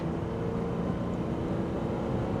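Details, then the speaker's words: 2014 Ram 1500 EcoDiesel, warm at 204°F coolant, after fuel pressure fix, full-throttle pull: strong steady low drone, no stumbling or surging, fuel pressure matching; normal full-throttle acceleration, extended-crank issue still uncertain. "so yeah Full Throttle no issues and as you can see on the fuel pressure um it matched perfect so I definitely think we've fixed the fuel pressure issue"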